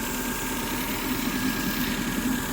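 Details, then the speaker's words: Car idling with a constant airy hiss and faint thin tone, like a vacuum; smoking afterwards, owner suspects a steering part. Cause not confirmed. Hissing idle. "I'm not going to lie. Kind of sounds like a vacuum"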